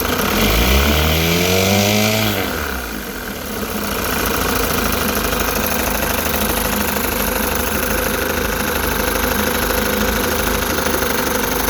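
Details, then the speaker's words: Rebuilt 1960 Evinrude Fisherman 5.5 hp two-stroke outboard in a test tank with test wheel: crisp rev climbing and dropping, then a steady even buzz with no misses or knocks, healthy, shifting neutral, reverse, forward. "Alright, that sounds good."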